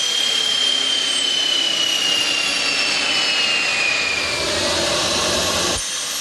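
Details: Rover gas turbine, not run for a while, spun by KC-135 pneumatic starter: high thin whine sags in pitch over several seconds, never lights; fails to start, owner suspects electrical or high-pressure shut-off valve closing.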